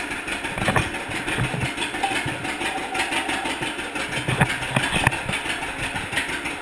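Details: 1942 John Deere Unstyled A two-cylinder tractor, first start of a conversion after the engine was freed from being stuck, new spark plug wires: uneven popping at slow idle, firing cleanly with no knocking or grinding; engine freed and running.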